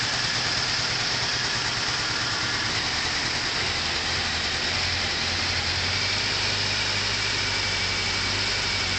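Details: 2002 Nissan Altima 2.5S at idle after start, consuming about 1 qt oil per week with hard starting: uneven stumbling, wavering four-cylinder rumble; misfiring idle, cause unconfirmed.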